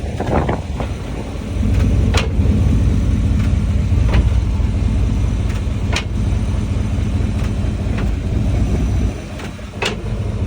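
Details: OBS Chevy truck idling with an unexplained clunking noise: sharp, hollow clunks every second or two over a steady low idle, before being put in park; cause unknown.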